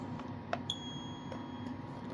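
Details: New-in-box Kidde P4010ACSCO-WCA smoke and CO alarm chirping in its package: one sharp high chirp then a thin fading tone in a quiet room; low battery suspected, flashed red, cause not confirmed.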